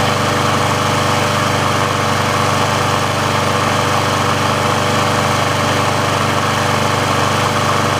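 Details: Briggs & Stratton engine on a Sears Craftsman mower after service/repair, warm with the auto choke open: steady, even engine note at constant speed with no misses, knocks or hunting. The auto choke works as it should, so warm running is normal.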